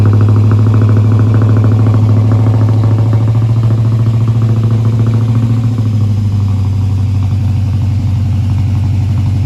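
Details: Holden VR Clubsport 304 V8, dormant for years after a heavy front impact: after its first start, a deep burble eases down from a rev, firing even and smooth. No knocking, running better than expected.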